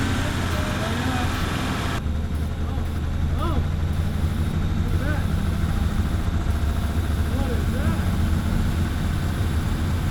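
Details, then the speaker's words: Toyota Supra idling roughly: low, uneven, hunting idle with a wavering beat that never settles; starting fluid reaction reveals an intake vacuum leak. "uh over here down here well what was that well we have a vacuum for sure"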